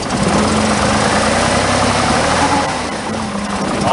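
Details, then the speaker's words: Chevrolet Monza at a cold idle. A steady howl sits over an uneven, stumbling beat, running on five cylinders. Owner says it always howls when cold. "Always howls when it's cold. Also runs on 5 cylinders, so warm."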